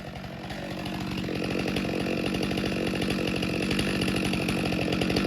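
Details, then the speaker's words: Stihl MS462 chainsaw after service and calibration, quick test cut: climbs quickly to a steady high scream and holds speed evenly through the cut without bogging; healthy, though chain afterwards looked dry of oil. "So we'll make a quick cut with it. Hopefully it changed decent. I didn't even look."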